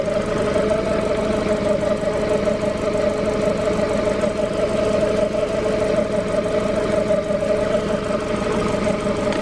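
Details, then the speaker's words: Honda EF hatchback with a swapped B17A1 engine that has oil leaks and smokes a little: at idle before a drive, a constant whirring tone and an uneven faint pulse ride over the engine; the source of the noise is unknown. "i don't know what noise that is but let's go for a drive around the block"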